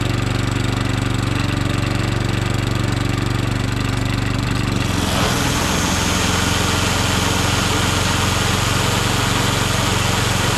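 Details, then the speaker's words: Allett 10-blade cylinder mower during back-lapping, with the reel set just touching the bottom blade; the small engine runs steadily with a constant hiss and swish of the reel lightly contacting the bottom blade. Normal running with blades in contact. "You got your blades touching that. What I'm going to do now is start it up and just let it run for about 5 minutes."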